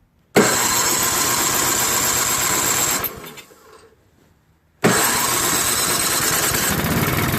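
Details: MTD Yard Machines 5.5HP 24-inch snowblower with a newly fitted carburetor starts instantly on electric start, runs steadily, is shut off, then restarts cleanly on the pull start; healthy small engine running normally.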